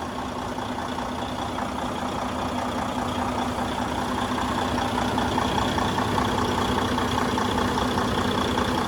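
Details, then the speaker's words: Detroit DD15 diesel after fuel pump replacement for chirping and metal shavings in the fuel system, new filter module and high-pressure lines: starts right away, steady even idle about 2.5 beats a second, fuel and rail pressures good; normal idle. "as you guys can hear start it up right away lppo fuel pressure fuel compensation pressure everything's good rail pressure everything's good"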